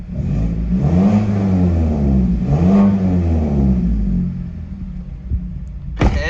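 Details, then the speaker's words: 2012 Mazda 3 Skyactiv 2.0 after the spark plug change, engine not cold, check engine light still on after battery reset: two clean throttle blips rising and falling smoothly back to idle, no misfire or stumble, running well. "check engine light's still there but i think everything's working well give it a gas"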